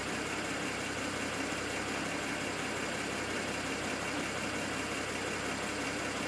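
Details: BMW N54 engine logged with IPNA: steady idle with an irregular stumble breaking the rhythm every second or so, a misfire at idle.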